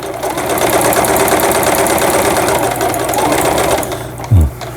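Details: Juki HZL-F300 sewing machine with automatic thread cutter, after repair: fast, even stitching chatter at a steady rate with no knocks or catches, then stops cleanly; normal stitching.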